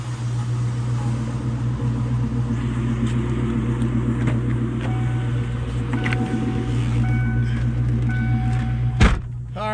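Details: 1997 Mustang Cobra 4.6-litre, a daily driver, heard from inside the cab months after rod bearing replacement. Even, deep idle with no knocking or ticking; the bottom end sounds healthy. Owner also suspects an exhaust leak.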